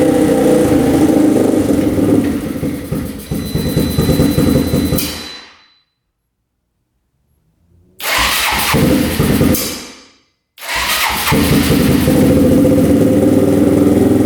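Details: 4x4 ATV that sat for years, first start, temporary choke held with vise grips: runs rough on partial choke, sputters and dies twice when choke is turned off; owner suspects lean, not enough fuel, plans to open fuel screw.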